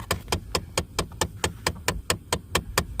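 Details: On a 2013 Dodge Charger SE 3.6 V6, sharp even tapping about four times a second comes from behind the dash. The right-side blend door actuator is stuck and not moving.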